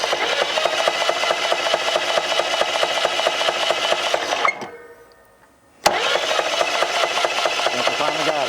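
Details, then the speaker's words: 1947 International KB3 fuel truck engine, previously locked up after 30 years, rebuilt with rusted parts replaced: rough uneven clatter about two beats a second while cranking, noise seemingly from the rear; owner fears a bad rod or main bearing. "yeah it it does sound a little noisy though don't it turning over mainly it sounds like it to me it's coming from back here I hope it ain't got a bad rod bearing or main bearing back here"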